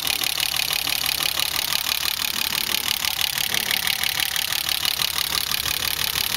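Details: BMW E30 with M20B25 inline six, running rough after newly installed injectors and chip/ECU: idle has an uneven, lumpy pulse about three times a second, not running smoothly.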